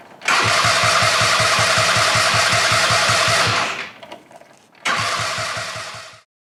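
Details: Go-kart cranking steadily at about 160 strokes a minute in two bursts with the key held, never catching or firing: no spark because the new replacement CDI, smaller than the original, is the wrong AC/DC type.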